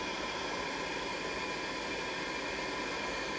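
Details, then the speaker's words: Riello RDB kerosene oil burner: roughly 20-second prepurge, steady airy fan rush clearing the chamber with no clicks or surges before ignition; normal. "so comes on for about 20 seconds and the blower you know it's supposed to evacuate the chamber you know so there's no explosions there's no gas dwelling when it comes back on"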